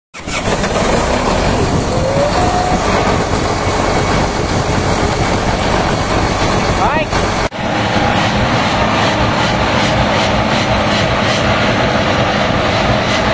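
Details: HB365 diesel at high idle, EGR-type turbocharger; steady roar with a dry, rough rushing edge, turbo rubbing internally from a part not seated properly.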